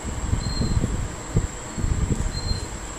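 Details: 1995 Chevrolet Lumina 3.1L V6 with a brand new water pump fitted; low even idle rumble with no grinding or squeal from the front of the engine: normal water pump.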